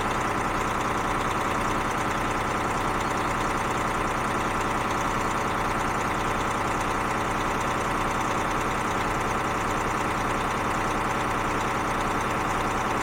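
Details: DAF CF diesel at steady idle after fuel pressure control valve replacement, smooth unbroken beat, no knocks or misses; correction value dropped about 20%, engine sounds healthy.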